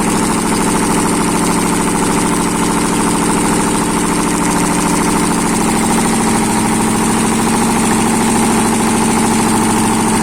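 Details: ZMZ 511 V8 engine first start after a major overhaul, exhaust present: smooth, even idle held steady for ten seconds with no knocks, misses or hunting; the engine sounds healthy.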